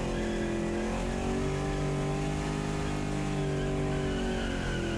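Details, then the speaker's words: Twin-supercharged Pontiac Sunbird on a burnout pad after something let go in the engine: loud, rough, lumpy high revs, down on power; lost a cylinder with heavy blow-by, later overheated. "it's definitely hurt as you can hear definitely down on power definitely lost a cylinder for sure and that blow-by is yeah it's pretty bad it's not good that's for sure"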